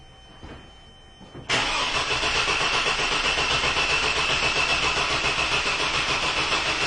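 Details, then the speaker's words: 2002 GMC Jimmy with an intermittent no-start, battery dying again: steady starter cranking at about four pulses a second that never catches, and no RPM signal shows. Cam or crank sensor suspected. "well no such luck but you can see the battery is dying again and also while it still had a little bit of a healthy crank we noticed that we don't have the RPM signal now"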